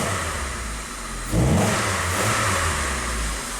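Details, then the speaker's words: 1998 Saturn after head gasket replacement, cold in open loop: starts right up, throttle blip bogs and nearly stalls before settling; O2 sensor bank 1 sensor 1 rising, fuel trims pulling fuel strongly; stumble on throttle. "Starts right up. See what happens. I just gave it a little throttle and it actually almost died."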